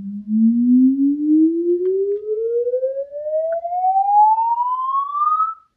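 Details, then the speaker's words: Paradigm CC-390 center channel speaker, 20 Hz–20 kHz sweep rerun with the suspect blown driver disconnected, single midrange only: pure tone glides smoothly with no buzz, rattle or distortion. "right so yeah I'm not I'm not hearing anything like we were before uh so with that driver disconnected uh we're just using the single mid-range now"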